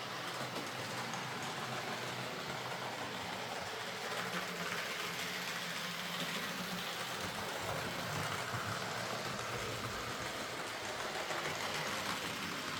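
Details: Hornby R.372 Class A4 "Seagull" model locomotive, tender drive, running after repair: soft steady motor hum with light wheel and rail rustle, no grinding or stuttering. Bad running was likely from excess axle oil spoiling pickup; the mystery noise was traced to the valve-gear parts. Runs fine and quiet.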